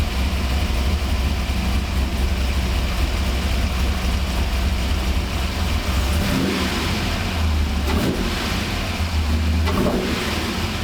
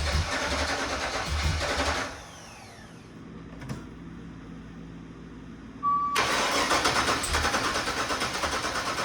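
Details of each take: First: 1985 Monte Carlo SS with cammed 6.0 LS (over 400 hp) and built 200-4R, revived after sitting 5 years, fuel system rebuilt: deep even V8 burble with clean throttle blips, now firing on all eight; normal idle and revving. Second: 1985 Monte Carlo SS with cammed 6.0 L LS2 swap, after five years sitting and a fuel system rebuild at about 58 psi, first start: rough, lumpy V8 stumbling and cutting out; some injectors suspected not firing; misfire.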